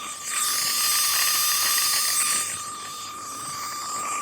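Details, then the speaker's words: Buried water main leak search, listening at the valve key after closing then reopening the isolation valve slightly: shrill steady hiss with a thin whistle swelling and easing as the throttled valve pinches the flow feeding the leak. "En gros là, j'avais fermé, j'ai rouvert ma vanne un tout petit peu. Donc c'est le... Comment dire ? Ce qu'on entend, c'est le bruit de l'eau. C'est le passage qui va alimenter la fuite."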